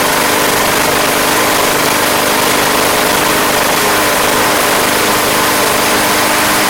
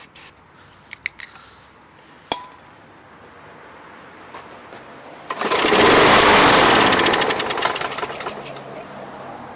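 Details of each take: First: Craftsman Platinum lawn mower, Briggs 190cc engine, running after a no-start fix with a replacement carburetor: steady, even run at working speed, no surging or hunting; gas was seen from the crankcase vent, yet it sounds healthy and settled. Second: Craftsman Platinum mower, 190cc Briggs engine, no-start: sprayed with ether down the intake, it catches with a loud rattle and dies within seconds once the fuel burns off; spark and compression good, so the fault is fuel related at the carburetor.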